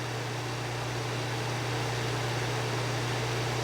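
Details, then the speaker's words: 1997 green Duracraft DT-7 Series Turbo Fan, on low speed: a steady low hum with a soft, even rush of air and no rattles or scraping. Quiet with good airflow for its size; normal operation. "Okay, it's running, and it's not that loud, but it's pushing out a lot of air. Really, it's pretty good airflow for the size."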